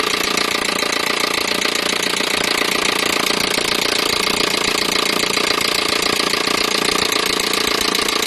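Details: Peugeot 307 1.6 petrol engine: steady, sharp, fairly regular knock about three times a second over a harsh, tinny engine note; engine knocking, cause not yet pinned down.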